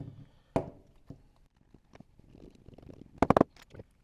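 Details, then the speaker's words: Triumph TR8/TR7 ignition barrel and steering lock, previously too stiff to turn the key, after working it with powder lubricant: a few light, crisp clicks as the key turns and the detent engages cleanly; lock now moves freely. "Oh, that sounds so much better. You can actually hear the detemp mechanism in there engaging much better."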